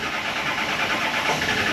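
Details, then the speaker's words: Early-2000s Ford F250, 7.3 L turbo Power Stroke, 400,000 miles: ragged, uneven hiss-and-clatter as the diesel barely catches on starting spray and won't run on its own; fuel starvation from a restricted tank pickup. "All right, it doesn't want to run on its own. Let's make it run. Not starting fluid. Begin making it run now. That didn't sound good."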